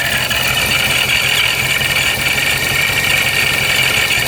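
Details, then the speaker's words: Supercharged Hellcat/392 Charger, warmed up, idling at about 600 rpm, lower than the earlier 700. Harsh metallic clatter over the idle, louder at low rpm; the owner suspects supercharger gears grinding from the low idle speed, not confirmed. "it makes more noise at the low rpms and I think that's just you're hearing more the gears grinding together because it's spinning so slowly"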